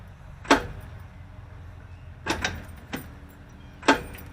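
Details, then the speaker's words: 1977 Mobile Traveler motor home, engine won't turn over after burnt alternator wiring was spliced and repaired; four sharp separate clicks, no cranking; owner wonders whether starter is at fault, considering direct battery connection test. "Nope. Nothing. So I'm wondering now if I'm at the point I need to take my starter off and check it again, or could I do a direct connection to the battery and check it that way?"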